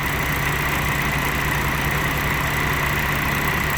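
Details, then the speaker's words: Willys jeep L134 engine at idle after the idle mixture screw is backed off anticlockwise from too lean, where it was dying. Now a smooth, even idle with a steady hum, no hunting or stumbling, neither lean nor rich. Normal idle. "There you go. You can hear it running smoothly and evenly."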